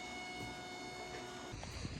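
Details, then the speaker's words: 2003 Mustang Cobra, new intercooler pump running while it bleeds air from the coolant topped up with water: a faint, steady electric hum at a fixed pitch with no gurgling or air rattle; it runs normally. "I'm gonna let that just run, bleed out. Add a little bit of water to it. I'm gonna let that burp get all the air out. It's all good."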